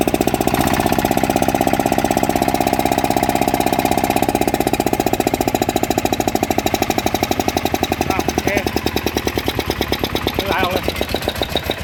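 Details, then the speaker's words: Yanmar 160 small single-cylinder diesel after rebuild for a rhythmic knocking, new bearings fitted: starts easily, steady tight beat with quiet bearings and no bottom-end knock; normal running. "ติดง่ายนะครับเสียงแน่นดีกลัวเงียบนะครับลูกปืนเงียบนะครับ"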